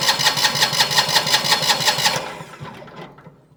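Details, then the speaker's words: Single-cylinder diesel on a Winget mixer, stood a couple of years, injector line cracked off: steady even cranking under three beats a second with no firing; no diesel reaching the injector, injection pump suspected sticking/seized. "Yep. We're not going to get anything up there whatsoever. So, I wonder if we got something sticking down here in the pump."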